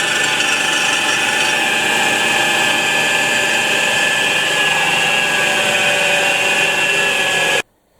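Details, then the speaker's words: Flywheel resurfacing: the clogged edge of the grinding stone starts whistling, a steady high whistle over a harsh grinding hiss, so the stone is backed off. "Значить дивіться ось камінь бачите знизу край він забитий і починає свистіти камінь"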